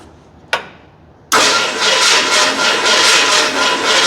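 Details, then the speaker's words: 1981 Ford Bronco with MSD Pro billet distributor, non-running project, first catch; click then irregular pulsing chuff, won't idle, ignition timing way out. "Oh, so the timing's way out, bit of fired. How good is that?"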